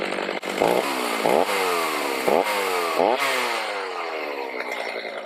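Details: Stihl MS310 chainsaw after a no-start repair needing no parts, carb adjusted: screams at high revs, pitch drops with each cut in hard cedar and recovers cleanly; running right, cutting likely limited by dull chain and rakers not taken down.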